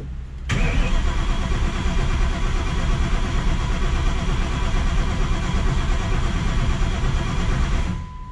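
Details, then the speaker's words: 1200+ horsepower engine, first start after fuel system primed: steady starter cranking for about seven seconds, never catching, no crank signal seen; ignition timing found incorrect, to be verified with timing light. "don't think I have a crank signal I didn't see a crank signal pop up alright guys so because nothing ever comes easy with these cars we have something going on where our timing is incorrect"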